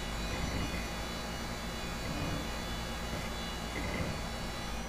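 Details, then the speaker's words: Old trade-in Windows XP PC booting: steady hissing whir from its hard disk with a faint high thin whine, rougher than a healthy drive; audible worn spindle bearings. "Have listened to that hard disk. You can hear the bearings in that thing."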